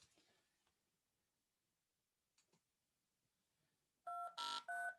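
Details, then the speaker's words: DTMF generator with DAC scaling tried at 64: tone pairs in short steady bursts with intermittent rough buzzy bursts as the summed waveform overflows the DAC and clips; dropping to 63 (range 0–127) avoids the buzz. "Yeah, you can hear the buzzing. But it only happened once. Oh, nope. There it goes again. Yeah, it's not sounding right. I don't know if you can hear that, but it's definitely buzzing."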